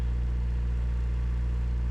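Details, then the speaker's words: 1986 Suzuki Samurai with VW turbo diesel, warming up: steady low diesel idle with a hard, even drone. The engine seized years ago and has cylinder scoring; owner believes a ring is broken on number four and suspects the injection pump for hard starting and random stalling. "the engine needs a full rebuild or a replacement engine uh there's some massive pinning and scoring in the cylinders I believe one of the Rings is broken on number four"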